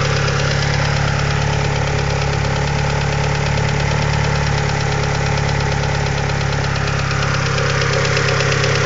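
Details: Mitsubishi 2G DSM idling: light, quick top-end ticking about three per second from hydraulic lifters; fixed by installing upgraded TOPLINE 3G lifters.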